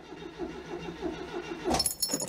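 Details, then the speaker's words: 1992 Oltcit (Romanian Citroen design) petrol engine, choke set and throttle operated, cranking after sitting: quick, even starter chugging with no firing; no petrol squirting at the carburettor, so no fuel delivery yet. "so if i operate the throttle do we see petrol squirting in yet no just don't think we've got fuel yet"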